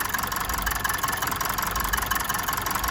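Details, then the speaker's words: Mazda 6 2.2 Skyactiv diesel with check engine light and no fault codes, idling unevenly with a light ticking knock about once a second over diesel clatter; engine shudders, misfiring; injectors suspected, not confirmed. "t there the engine is shuddering and jumping a lot. So hopefully you can hear that it's actually misfiring."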